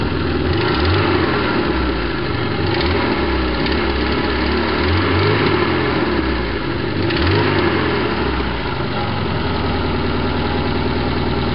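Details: BMW E21 316 with 1.8 M10 engine after head gasket swap and carb rebuild: uneven, lumpy rough idle with occasional stumbles, slight misfire; owner guesses ignition timing, cause unconfirmed.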